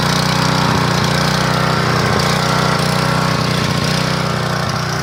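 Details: 1997 3000-max portable generator that sat 20 years with old gas: loud drone that wavers and hunts, unable to govern under load because of a varnished carburetor. Output is only about 115 volts and oil drips from a seal; the carburetor is to be replaced.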